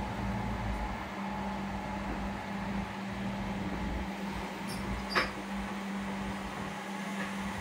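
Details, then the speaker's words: Two 1000W grid-tie inverters reported as error/not running; the stiff cooling fans, oiled and now running: smooth steady low hum, constant tone, no scraping or rattle; fans spinning freely, inverters producing power normally. "โอเคนะครับพัดลมทำงานปกติทั้ง2ตัวแล้วตัวเครื่องทำงานได้ปกตินะครับรันได้ปกติผลิตไฟปกติ"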